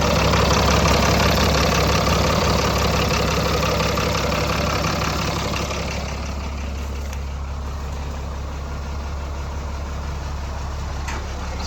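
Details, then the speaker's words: Heavy diesel donor powertrain with 5-speed manual transmission, started after sitting: steady, even low idle rumble with no knocks or misses, sounds healthy though it smokes a little; good oil pressure, cause of smoke not yet known. "a little smoke to it. Sounds good. Sounds filthy. We'll figure out why it's smoking a little."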